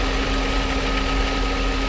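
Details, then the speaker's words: Mercedes SL500 R129 at a smooth, even idle with a steady low hum and faint constant whine, no misses. Restarted after cleaning the coolant fan relay contacts; fan clutch engaged, AC on, compressor spinning, lines cold. Healthy. "Air conditioner is on. The AC compressor is spinning."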